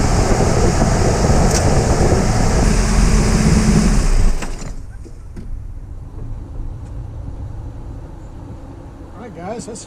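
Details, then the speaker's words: 2000 Nissan Frontier after tightening the alternator belt: steady engine run with no squeal or chirp from the belt drive; belt squeal cured. "gotten rid of the squeal I'm very pleased"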